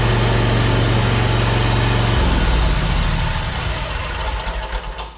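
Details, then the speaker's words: John Deere Z930M zero-turn mower, deck engaged after cleaning and greasing the deck fittings (one had a stick in it): steady low engine rumble, blades spinning evenly, the earlier violent deck vibration and shaking gone, fixed. "Okay, no more vibration, no more shaking. This is fixed."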